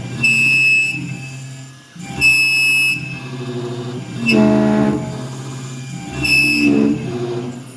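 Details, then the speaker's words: Langmuir Systems MR-1 CNC mill with upgraded X/Y motors, new couplers and an 80 V power supply, cutting steel with a coated 6-flute end mill: harsh ringing screech each pass; suspected spindle speed too high, despite a good surface finish. "Okay, so that sounded terrible. The question is why? Is it because, I mean, the surface finish is beautiful. Honestly, I think the RPMs are just a little too much."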